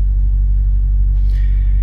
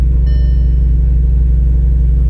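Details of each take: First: Audi RS5 after repair for EPC light, 6000 rpm warning and bank 2 exhaust camshaft slow-response fault (variable valve timing solenoid): deep, steady, even idle with no knocks or misses; engine runs smoothly. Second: Audi RS5 start-up just after bank 2 exhaust camshaft position sensor work, for an EPC light and 6000 rpm limit warning: deep, heavy, even rumble pulsing about three per second; it ran a little better after a minute, perhaps as oil circulated.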